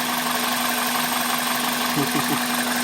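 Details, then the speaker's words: 1999 Toyota Corolla after fitting a junkyard power steering pump and fresh fluid: even, steady idle with a smooth low hum and no grinding from the accessory drive, a normal idle. "Oh, look at that. smooth. Way better than before. No more grinding sounds."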